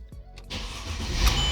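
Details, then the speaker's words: 2005 Mercedes E320 after ECU cloning and immobilizer activation: short quiet crank, catches within half a second and settles into steady low idle; clean, healthy start. "and boom the car starts"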